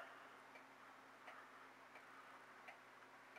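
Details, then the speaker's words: Old regulator clock after calendar hand repair, case closed: crisp, evenly spaced ticks about every 0.7 seconds in a quiet room; the escapement beats steadily and in beat. "close it up there we go there's the regulator ticking again"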